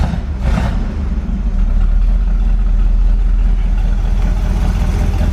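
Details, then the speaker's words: Corvette V8 fired up on a charger with a dead battery, plug wires just fixed; deep idle rumble with a loose uneven puffing tick; exhaust leak at the passenger-side collector donut, air felt there. "Sounds all right. Definitely got an exhaust leak. I did pick up an exhaust donut for this passenger side. I hope that's what's leaking. Oh yeah, I can feel the air coming from the collector down there. It's definitely exhaust donut."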